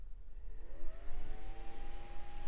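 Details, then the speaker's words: Acer Aspire 575LB CPU cooler fan running on test: smooth, even whir rising in pitch as it spins up, then steady with no ticking or grinding; bearing fairly quiet, no service needed, just cleaning. "okay that's pretty reasonable The bearing's Fairly quiet yeah no real need to dive into that one however we do need to give it a good cleaning"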